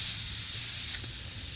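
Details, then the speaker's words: 2006 Honda Odyssey flat tire: steady high-pitched hiss of air leaking past the tire valve core; stopped after the core was turned, though the core broke. "what it's going to be is that valve core they're not very expensive"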